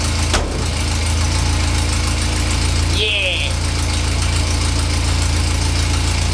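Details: Renault 4L idling after ignition overhaul (condenser, points), carburettor work and timing/mixture adjustment: steady, even four-cylinder idle at constant low pitch, no misses, knocks or hunting; runs much better.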